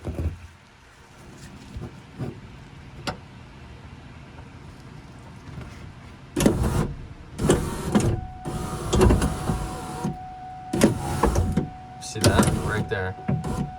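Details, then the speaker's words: 2002 Ford Mustang GT power window, door panel off: the motor strains in short uneven bursts with a steady hum as the glass drags. A hard door slam knocked the glass off its track, and a piece of metal is binding there. "there that's it and if you come to this side right there that track it's off the track and it's binding actually right there's a little like piece of metal off of the track it's getting binding it's binding right there"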